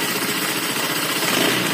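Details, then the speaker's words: Honda Vario Techno 125 FI scooter idling with a coarse, rattly, uneven clatter on the firing beat and coolant spraying up from the radiator; noise traced to the piston ring area, not the CVT; worn piston and cylinder block suspected, leaving ring gap. "nah penyakitnya berasal dari tengah sini di bagian piston ring suara piston yang ngeflek lebih cepat"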